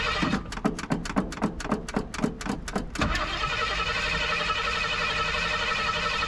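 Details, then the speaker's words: 1986 Jeep CJ7, built AMC 304 V8 (cam unknown, owner guesses Edelbrock-type), neglected: about three seconds of cranking pulses, then catches and settles into a steady, even idle; healthy cold start. "it is built um not exactly sure what cam or anything it has in it if I had a guess just by the way it sounds if it sounds like either the same Cam that I have in the javelin or equivalent maybe the Edelbrock setup not sure but it sounds about the same"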